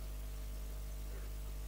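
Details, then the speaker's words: Experimental balanced microphone preamp: a low, steady mains hum with a faint buzz on top as the microphone ground is touched. The hum rises and falls as the common-mode rejection trim pot is turned. "If I touch the microphone's ground to try to induce hum into the system, if I turn the potentiometer this way, you can hear the hum increases."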